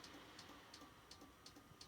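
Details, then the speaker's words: Compaq desktop computer showing blue or black screens: faint, sharp, steady clicks about three per second over a quiet hum; clicking noise. "is a good tale got a clicking noise so I gotta trust your screwdriver right here"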